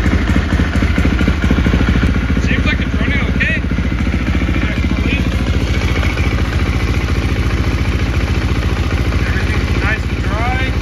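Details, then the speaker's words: 2018 KTM XCF 350 dirt bike after replacing cracked fuel filter that caused sputtering and bogging: single cylinder idles with steady even thump, no stumbling, normal idle. "foreign looks good sounds good"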